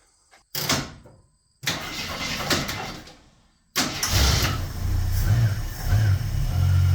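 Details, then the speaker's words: 1973 AMC Gremlin, 30 years in a barn, started cold with no choke, ignition wired straight to the coil positive, carb not rebuilt: after some handling noise it catches and settles into a quiet, even idle with no engine noises. "sounds pretty good. Nice and quiet, no engine noises. Just amazing with that carb."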